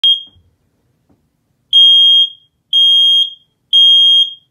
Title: Kiddie Smoke Alarm Beeping